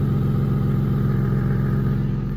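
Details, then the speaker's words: Infiniti G37 petrol engine idling just after start-up with a loud, deep, rapidly pulsing rumble, rougher and louder than a sealed exhaust; exhaust leak, owner taking it to a shop for repair, exact cause not confirmed. "you guys could probably hear i got a little exhaust leak you know what i'm saying so i'm gonna be going to the shop and i'm gonna try and fix it"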